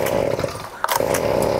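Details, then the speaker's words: Flooded two-stroke leaf blower being cleared by pulling with throttle wide open and choke off after about six pulls; small engine buzzes unevenly, cutting out and catching, rough sputter of a flooded engine clearing, fuel came out the muffler. "(engine sputtering) There we go it's almost unflooded now."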